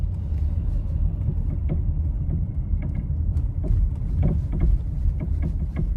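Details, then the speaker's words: Nissan Rogue with newly replaced engine, driven over the same bumps after fixing the sway bar link that wasn't tight against the strut: low steady road rumble, soft thumps only, no sharp front-end clunk; knocking noise gone. "Same bumps. Let's listen for noises. Sounds pretty quiet to me."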